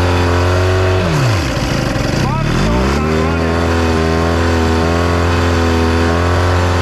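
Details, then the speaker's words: Free outboard for a 1982 Glastron bass boat, long stored and run dry without water to the pump, so impeller damage is feared: a steady two-stroke buzz that sags briefly when shifted into gear, then recovers. Forward and reverse work. "still sounds good though there's forward and there is reverse beautiful"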